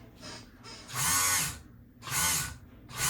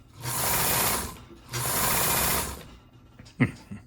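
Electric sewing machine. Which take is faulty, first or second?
first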